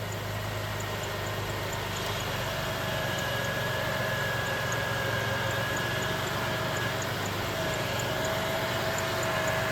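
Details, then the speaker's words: 2006 Jeep Liberty 3.7L V6 after alternator replacement and belt reinstall: steady, even idle with faint hum and soft ticking, no grinding or squeal; the earlier noise is gone. "Now let's start her up and see what she does. Oh, she's quiet as a church mouse now."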